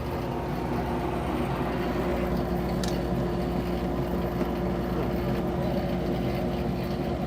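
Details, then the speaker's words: Shop dust collector about 15 years old: constant loud motor roar with a coarse, busy rattle riding on it, steady throughout; sounds like it's falling apart, cause not found. "what is that noise my it sounds like my dust collector's falling apart it's ridiculous"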